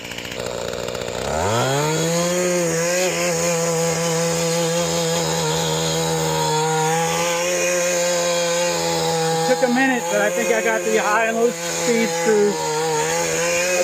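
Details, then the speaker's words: Mantis tiller, unused for years, after carburetor cleaning and shattered-piston replacement: catches quickly and holds a steady even drone digging dirt, no misses or surging; normal running under load. "And this thing's really moving from dirt. I'm really pleased with this."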